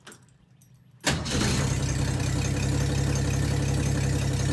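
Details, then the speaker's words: 1962 Ford Falcon inline engine, not run in 25 years, after timing fix, starting with key on original coil and wiring: catches after a quiet second, idles with rough low knock three or four a second; owner hears lower-end noise. "that's not good I don't know how well the video is picking it out but nothing got a lower-end noise"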